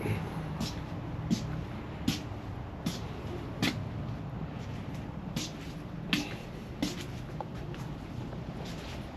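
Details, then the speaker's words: 2024 Harley-Davidson Road Glide, 6000 miles, idling: sharp high squeaks about every three-quarters of a second, traced to the rubber exhaust mounts after clamps, seat bracket and baffles were ruled out. "Yeah, it's going to be my rubber exhaust mounts."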